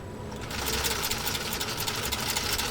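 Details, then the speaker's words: PFAFF 332 sewing machine with custom walking foot sewing a single layer of genuine cowhide leather, taken slowly: quick even stitching chatter, no knocking or grinding; running smoothly. "I think the wonder of a machine is not only what it can do but also how it sounds when it's doing it so all right here we go a single layer of genuine cowhide leather"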